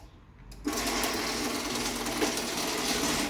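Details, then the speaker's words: Challenger garage door opener after rail rebuild: motor runs with steady buzzing drone and light chain rattle, no grinding or straining; opener itself quiet, rail works fine, normal operation. "you can see the rail works perfectly fine so we'll run this back down"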